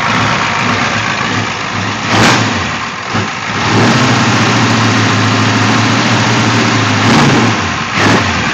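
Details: International Scout with 6.9 diesel, after replacing a glow plug and cleaning the starter: lumpy, uneven idle clatter between quick revs with constant smoke; fuel flows well through all 3 filters, owner suspects a problem after the injection pump.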